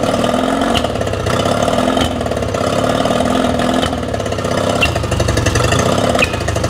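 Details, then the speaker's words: Yamaha 20HP two-stroke outboard, timing set the week before, run before the carburetors and reed valves are removed; uneven running with sharp spits and pops every second or two, a lean sneeze, reeds suspected, cause still unknown. "this video is likely to be about more than just re valves because what we're looking at is why we've got this lean sneeze condition on the Yamaha we did the timing on last week"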